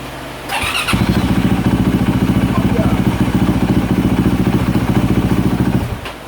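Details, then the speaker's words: 2024 Yamaha YZ450F single-cylinder restarted after sitting to check for water entering the combustion chamber following severe overheating; no external drips. Catches straight away, crisp even thump about 3.5 per second, no misfire; engine judged fine. "I think she's been sitting long enough to let us know if we have a water getting into the combustion chamber situation if she fires right up we're going to be good"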